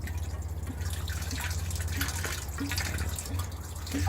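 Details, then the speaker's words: Microhydro turbine penstock filling with water, bottom valve closed: low steady rumble with irregular drips and gurgles as air vents up through the top barrel (forebay); normal air venting. "So the pipe's filling with water, and for that water to go somewhere, the air has to go somewhere, and the air's traveling up here, up through this"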